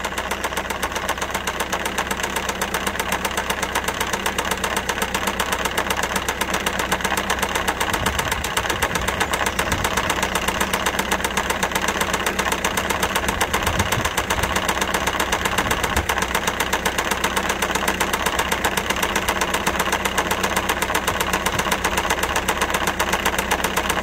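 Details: Citroen C4 Grand Picasso 1.6 HDi diesel, bought with about 190,000 km, idling with a heavy, steady metallic knock; oil starvation caused a severe engine knock that killed the engine, judged not repairable.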